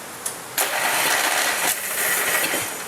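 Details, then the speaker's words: Murray 14.5 hp riding mower that had started knocking, after straightening bent intake push rod and reassembling valve train: short crank catches at once, steady even running, no misses or knocks; fixed. "Amazing what happens when you get the valves to open and close and be able to pull in fuel, make compression, and get a spark and have some internal combustion. This baby's fixed, I think."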